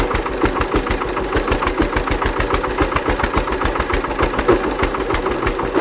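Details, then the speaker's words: Hatz single-cylinder diesel converted to Otto cycle running on woodgas from a gasifier, driving a generator under load; hard sharp knock on each of about 3.5 beats per second, owner suspects ignition advance too far. "I think the ignition Advance is too too much let me uh ache that a bit and we're back it's about 10° earlier now"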